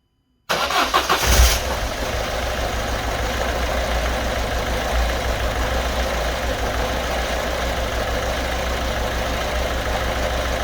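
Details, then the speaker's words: Citroen Berlingo 1.6 HDi diesel, first start after fuel filter replacement and hand-priming bleed: starts after brief crank, then lumpy uneven idle as air still works through fuel lines; ran fine after a minute or two. "I've no doubt it's going to run quite ropy for a little bit. And then hopefully as the air gets out of the system, it'll start to run a lot better."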